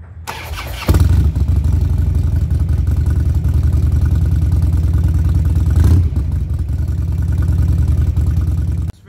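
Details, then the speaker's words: Older fuel-injected Harley-Davidson Twin Cam that wouldn't stay running, most likely because fuel injection wasn't holding pressure (usually an in-tank fault), after repair and leak check: short crank, starts at once and settles into a steady, lumpy V-twin idle; normal. "so we're gonna turn it on and the bike should start right up"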